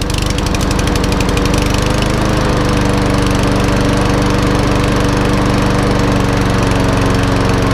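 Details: Einhell mower after fuel system cleaning, started outside: catches, then holds a steady, even hum with no misses or surging; running smoothly.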